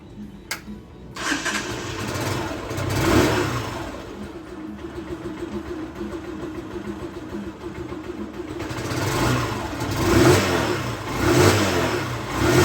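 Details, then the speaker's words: Yumbo GS 125 single-cylinder motorcycle, new engine with original exhaust, not fully run in, just after valve clearance adjustment: engine catches quickly, a couple of blips, then an even single-cylinder thump with no valve tick; healthy normal idle. "good very well friends there we learned I passed this side and we learned we have practically no sound this engine was a new engine"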